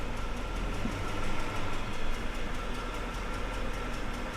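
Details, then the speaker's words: 2006 Ford F-150 5.4L 3-valve V8 with 224,000 miles and codes P0308/P0316: held just off idle it runs lumpy and uneven, with a stumbling beat from a misfire concentrated on cylinder 8. "Yeah, it's missing pretty bad right now."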